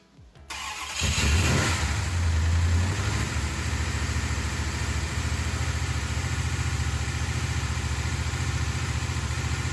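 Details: 1968 Dodge Charger with a big block 440, first start after valve train repairs and fuel pump priming. Fires, flares, then settles into a smooth, even idle with no top-end ticking; normal idle.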